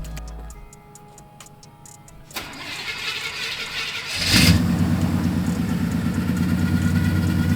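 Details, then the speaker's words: Truck cold start right after transmission repair and refill with fluid and coolant: cranks, catches quickly, brief rev, then steady idle with no misfire, knock or rattle. Normal cold start. "let's get a cold start for you guys she sounds so good"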